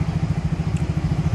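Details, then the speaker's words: Yamaha Mio J scooter, hard starting, stumbling under heavy throttle and stalling when throttle released, injector already replaced without fixing it: lumpy, uneven low putting at idle with stumbling pulses. "J ini keluarannya susah starter dan juga brebet tarian berat kemudian lepas gas mati"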